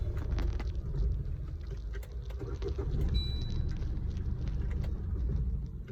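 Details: Maruti Swift Dzire diesel after starter motor replacement, previously would not start and had to be push-started: quick crank, catches and settles to low steady idle clatter without grinding; starter engaging properly.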